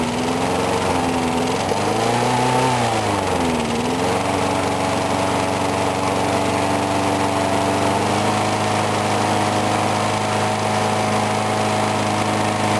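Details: Briggs & Stratton single-cylinder mower engine cold-started at 35°F after long sitting, water suspected in the gas; started first pull. Brief dip and recovery, then steady even drone, no misses or surging; normal running.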